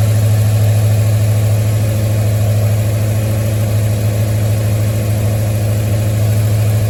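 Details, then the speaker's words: 1973 Mustang idling after a 1G-to-3G alternator conversion: smooth, even low idle, steady beat around 200 a minute, no misses or knocks. Alternator charging at about 14.2 V and roughly 11 amps; battery good, engine fired perfectly. "So that tells me that the battery is in pretty good condition, that the engine clearly cranked and fired off perfectly."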